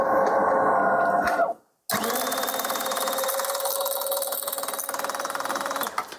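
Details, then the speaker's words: DeLonghi Magnifica S ECAM22.110.B coffee machine grinder running with no beans loaded, microphone held close: rapid rattling clatter, about four hits a second, over the grinder whir as it fails to grind; a foreign object is caught in the burrs. "Nie męczmy, mam nadzieję, że było słychać. Charakterystyczny dźwięk. Terkotki takiej, kurna."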